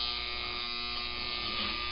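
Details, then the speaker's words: 1955 Lionel #2016 locomotive on first test before restoration: steady electric buzz at constant pitch with no chuff, motor energised but not turning. "like it wants to go"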